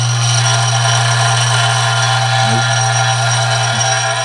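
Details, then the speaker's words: Dillon RF 100 auto primer feeder with the rheostat cranked up high: loud steady low buzz with rattling chatter as primers jump around, some possibly entering the tube upside down or jamming. "It's kind of loud, so I'm going to stand aside so the microphone doesn't pick up too much of that noise, but you can see in there that the primers are jumping around."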